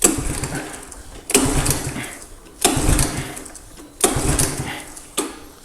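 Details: 1985 Honda ATC110 three-wheeler, sat abandoned a long time, oil checked, choked; repeated cranking bursts about every 1.3 seconds die without catching; spark present, old fuel suspected, possibly flooded from being tipped, so tank gets drained.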